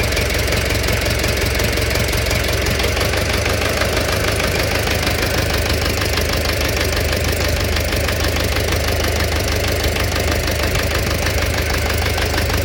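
Steady idle with a sharp, regular tapping riding on top of the engine note, a clear knock of unknown origin.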